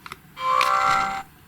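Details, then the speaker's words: New GHD Chronos S8M261 hair straightener: short shrill power-on beep under a second with a buzzy edge, the on/off button vibrating because the piezo buzzer sits too close. "here we go again that horrible vibrating noise what the hell were they thinking"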